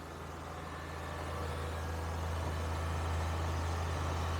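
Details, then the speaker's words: Cold start on a cold day: the engine holds about 2500 rpm, a steady fast hum that swells and never drops to a normal idle. A/C hoses are disconnected but the compressor is still on the belt. The high idle's cause is unconfirmed. "you notice how many RPM it's at 2500 that's actually not terrible for a cold day"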